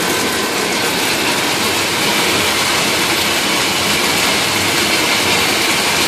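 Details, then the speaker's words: Water tower (swamp cooler) pump installed incorrectly with a sand filter, something coming from the bottom of the pump upsetting the pressure: a loud rushing hiss with a rough rattle about four per second and no even spray; the pump isn't delivering. "coming from the bottom of this pump, and in doing that, it messes up the pressure inside to where the pump can't spray."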